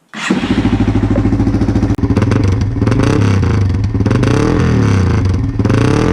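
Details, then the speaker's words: 1999 Yamaha XT225, about 20k miles, revved with the tailpipe cover off: loud raw single-cylinder bark with a rattly edge, exhaust rusted out inside, likely with loose rust chunks rattling, no muffling. "if you remember from my video where my tailpipes just rusted out I don't have any of that that's probably why it's so loud"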